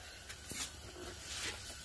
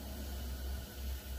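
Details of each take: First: Normal front passenger wheel bearing on a 135k+ mile S197 Mustang GT, wheel hand-spun: nearly silent, soft hiss and light brake pad brush, unlike the louder driver's side suspected of growling on right turns. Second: S197 Mustang GT, 135k+ miles, front wheels raised: rough, low grinding rumble as the driver's-side front wheel is spun by hand, much louder than the passenger side; worn wheel bearing, growls when turning right, hub assembly to be replaced.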